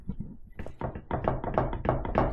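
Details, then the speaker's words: 2022 Harley-Davidson Low Rider S with an aftermarket rebel fender and chopped saddlebags, engine off: regular hollow knocks about three per second as the bag's bottom corner is pushed; loose saddlebag mount wiggling, owner plans to shim the spacer or bracket. "if you can hear that, it's making noise, it's got some wiggle."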